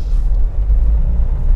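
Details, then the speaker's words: Nissan Terrano road test after tightening the loose metal strip behind the dashboard/cluster: only low even road rumble in the cabin, no buzzing or rattle near the cluster; dashboard noise fixed. "मैं पहले इतने पर भी आवाज आ रही थी ना कि न्यायालय क्लस्टर के पास मैं तो अभी कोई आवाज नहीं आ रही है"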